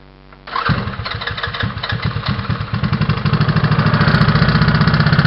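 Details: GY6 scooter engine recorded by helmet-mounted camera: catches after a second, settles into fast, light ticking about four per second over idle; source unclear, owner suspects valves.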